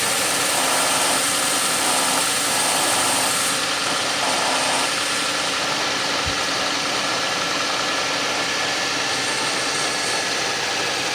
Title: Suzuki Grand Vitara 2006 2.7 V6 Cold Start, wierd grinding sound...